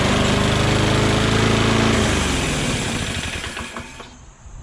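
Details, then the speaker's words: Mower with oil and gas, wouldn't start after three or four pulls, started on starting fluid: runs steady two seconds, then beat turns ragged and sags nearly dying; erratic rough running, cause unconfirmed. "i shot some gogo juice in there and then it started up however then it started to run really um erratically you know i'll show you welcome"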